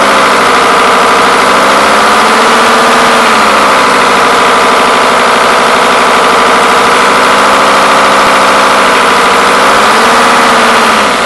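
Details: Mercedes S210 E290TD diesel at idle, steady idle with an uneven knock riding over it; broken alternator one-way clutch pulley was the cause.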